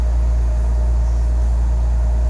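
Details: Nissan 300ZX Z32 VG30DETT twin-turbo V6, warm at about 80 degrees coolant, mixture 14.6–14.9: low steady even rumble, no ticking or misfire stumble, idling smoothly on all cylinders; normal idle.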